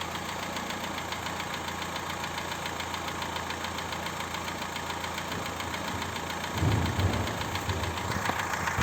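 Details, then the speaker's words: Daewoo Lanos 1.5 petrol idling with a steady, sharp knock about three to four times a second. Hydraulic lifters and rockers were replaced without effect; the cause was piston slap from a worn cylinder block, fixed by boring, new pistons and rings, a ground crank and new bearings. "Маємо ось такий стук в Ланусі 1,5."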